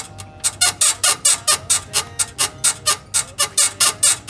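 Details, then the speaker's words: BMW E53 X5 rear suspension, body rocked by hand: sharp, high rhythmic squeaks in time with the rocking, traced to the right rear upper control arm (swing arm) bushing. "so it's going to beat the right rear swing arm or link so that's it just a matter of determining which part is creating a lot of vibration and that will be the part you need to replace"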